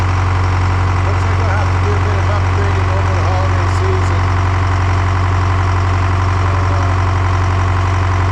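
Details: Detroit 4-53T two-stroke turbo diesel running a two-tank WVO system at about -20 to -28°C, restarted after replacing a burst diesel fuel hose: steady, even idle with strong low drone, no misses or knocks; engine runs cleanly.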